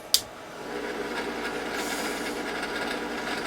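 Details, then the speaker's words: Yaesu FT-101 early model ham radio, powered on from mains: a switch click, then a steady raspy whirring hiss builds and holds from the rear cooling fan; bearings suspected to be going; noisy cooling fan. "and right off the bat I can hear fan in the back making all kinds of noise so it sounds like the bearings may be going in it"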